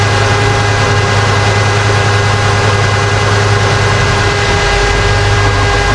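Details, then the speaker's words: 1955 wagon, automatic transmission in neutral at idle: steady low drone with throbbing shudder; fluid level good, barely in drive or reverse, absent in park; cause unknown. "all right we got a new problem my transmission is making a crazy shutter noise"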